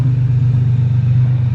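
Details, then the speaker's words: Toyota Tacoma 3.4L V6 (5VZ-FE), day after replacing the idle air control valve and 15-minute relearn idle: low, even rumble with no surging or hunting; idle surge and stalling fixed, rock steady. "She is rock steady. Getting a little dark last night, so we decided to wait until we had some daylight. She rocks steady now, so I'm happy to have that fixed."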